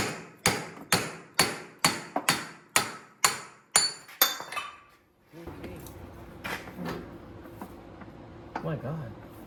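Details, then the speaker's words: 25-year-old 2000 Acura Integra with JDM B20B, after a front wheel bearing replacement, wheel rocked by hand: sharp regular clunks about twice a second from upper control arm bolts left loose after an earlier upper control arm replacement. "So, that noise you guys are hearing is the upper control arm bolts."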